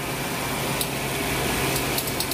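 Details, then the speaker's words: Suzuki Swift GT3 (owner says common on Swifts over six years old), engine running with AC switched on: steady hum and hiss with faint scattered crackling and ticking, most likely from the weak stock AC compressor; suggested fix is replacing the compressor. "Hai dengarkan Suarez kecegat itu memang kemungkinan besar dari kompresor kompresor Ya Nari kompresornya"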